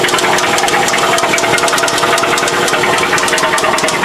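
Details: Old engine with VVT-i that clanked for five years, after oil pickup, screen and VVT-i filter replaced with metal filings in pan: heavy metallic clanking about three a second swamps idle; severe internal knock, engine dead.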